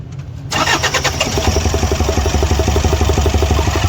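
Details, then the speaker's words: Toyota Fortuner diesel misfiring heavily right after starting: rough, lumpy beat of about four a second with dropped firing pulses, attributed to faulty injectors. "यहां आप देख सकते हो इसका engine जो है ना ये मिशिंग कर रहा है और ये काफी ज्यादा मिशिंग कर रहा है"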